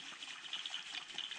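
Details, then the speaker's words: Barn-find Kawasaki KX250 two-stroke, cases split during rebuild, bare crank spun by hand: dry, gritty rasp instead of a smooth spin; rough connecting rod bearing, clean out with brake cleaner to rule out dirt first. "it sounds all rough and gross first thing you do is you know spray it out brake cleaner and make sure there's no dirt obviously rolling around in there"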